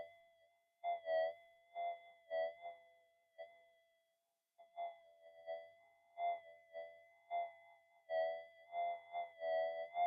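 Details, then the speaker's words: Minelab GPX-5000 in fine gold mode over a 0.012 gram target, suburban evening: warbling bursts in a choppy uneven pattern; power-line interference swamps the detector and buries the small target signal. "you can hear it it's in it's in with the noise being in Suburbia that's um the bane of being in Suburbia"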